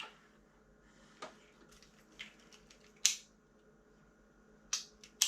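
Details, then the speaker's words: Honda ST50 small motorcycle: sharp dry clicks at uneven intervals as an auto-reset fuse keeps tripping from a short circuit; still trips after disconnecting rectifier and brake light switch wires. "and it still shuts out um so i'll reconnect the brake light switch"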